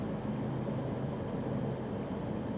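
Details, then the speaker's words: 1997 Mercury Grand Marquis 4.6L after new spark plugs and a new MAF: a steady, even idle rumble with no misses, and fuel trims now near 0. The earlier skip was blamed on bad spark plugs. "The car sounds great. So, obviously the spark plugs were shit."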